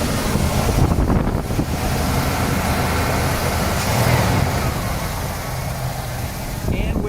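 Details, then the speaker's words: 1977 Cadillac Coupe DeVille, 44,000 miles, not fully warmed up so rpm still slightly high, heard from outside the car: steady, even low rumble settling toward idle, no ticking or squeaking. Smooth, healthy engine. "but even with this rpm you can hear the uh it's a super super smooth running engine no ticking no squeaking really really nice"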